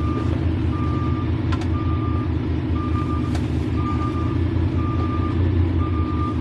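Steady high beep about once a second over the idling diesel while backing up; the reverse alarm is working normally.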